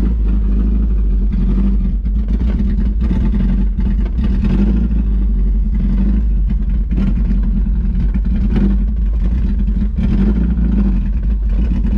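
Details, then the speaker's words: 1991 Mazda Miata 1.6 L after refilling coolant: uneven, lumpy idle with revs dipping and surging, near stalling; won't idle, wouldn't pass 4,000 rpm, but runs and drives. Owner suspects mass airflow sensor. "all right so it's still not wanting to idle but and yeah so it's still not one idle it wouldn't go past four grand like you saw but it's running and driving"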